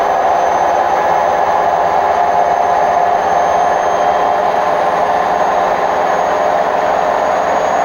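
A steady, loud roar sits in the mid and upper range with no let-up through the spin: worn drum bearings.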